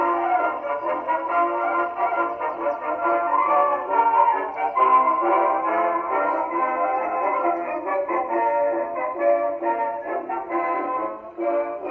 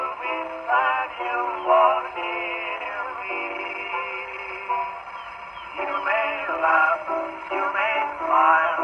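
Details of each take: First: 1919 Victor Victrola VV-IV #437504 after overhaul (new governor assembly, main spring, spring drum, felt; rebuilt Exhibition reproducer): clean steady playback with narrow old-time tone, no speed wobble or scraping; playing normally. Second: 1919 Victor Victrola VV-IV after overhaul with new governor, mainspring and rebuilt Exhibition reproducer: thin, boxy singing over the horn turns harsh and fuzzy on loud phrases; distortion from a worn record, not the machine.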